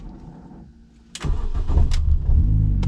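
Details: R50 Mini Cooper with an electrical starting problem (push-started earlier): a short quiet spell, then the starter catches and the engine fires straight into an even, steady idle with no stumble; normal crank and start.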